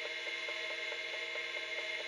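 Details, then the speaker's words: Seagate ST-251 MFM hard drive in a Compaq Deskpro, brought back to life, low-level formatting on a WDXT-GEN Western Digital controller: steady high whine with even clicks about 4–5 per second as the heads step track to track; healthy. "no press yes to begin formatting Drive why and we can here the drive is now formatting"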